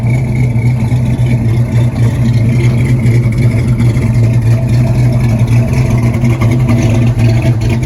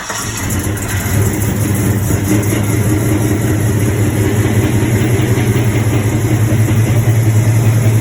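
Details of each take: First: LS-swapped C10 pickup, 6.0 with 243 heads and cam of roughly 575 lift, after retune, cruising: steady deep V8 drone with even lopey cam pulse, no knocks or misses; running healthy and responsive. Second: LS-swapped C10, 6.0 with a cam, started after a new tune was written: loud, deep idle with an uneven, lumpy beat; idle misfire from leaking, half-clogged junkyard injectors over-fuelling at idle, smoothing out with a little more rpm.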